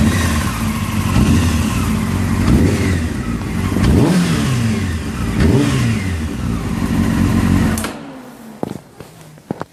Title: Honda CBr 600 F3 Rattling sound when throttle from idle